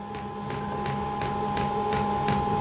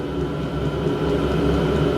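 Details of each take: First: Diesel heater on a home test bed, first start: steady pump ticks about three per second over a fan hum, no burner roar. Fuel is rising slowly with seemingly lots of air and an H3 display. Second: Diesel heater on a home test bed, with the pump mounted at an angle and the fuel tank raised after an air-filled line stopped the first start: a steady, loud fan roar and hum with no surging or rattles. Noisy but normal.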